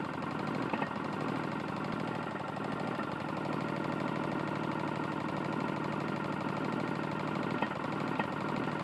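Small single running at steady speed with a hard metallic knock beating along under the exhaust note; a worn connecting rod.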